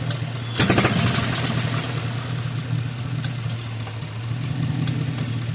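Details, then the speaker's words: Old Onan 3.0AJ-1R single-cylinder RV generator, first run attempt, powering a light: starter clicks, engine catches and settles into a steady loud even thump with no misses; unmuffled, engine runs and head produces power. "So, uh yeah, this generator runs. It the uh the engine runs. The generator head produces power."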